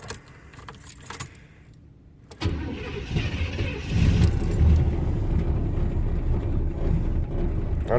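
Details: 1987 Chevrolet Caprice V8, cold December morning in Indiana: keys jingle, short crank, then an uneven lumpy cold idle; the choke isn't working.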